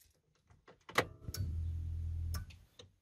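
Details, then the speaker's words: Car ignition key cycled repeatedly to the second position to bleed the fuel system after a fuel filter change. After clicks, the in-tank pump at the rear hums steadily for about a second, then stops. Normal fuel pump priming. "die pumpe läuft wirklich nur kurz alle zwei bis drei sekunden"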